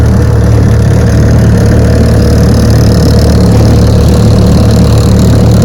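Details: 1968 Evinrude 9.5 HP two-stroke outboard, restored (stuck drive shaft, bad carburetor and coil fixed), lake test on a roughly 50°F December day: loud, steady idle with an even, fast low putter, no misses or surging; runs healthy.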